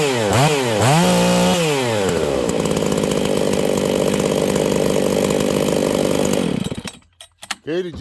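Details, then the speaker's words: Husqvarna 268 chainsaw low-speed jet swept from rich to lean until it wanted to die at each end, about one full turn apart: the pitch swings, then holds a steady high buzz before cutting out. It is set halfway, slightly toward rich. "you guys see that it was one full turn all the way out until it started to get too rich and wanted to die then I turned it in until it wanted to die that was one full turn from lean to Rich"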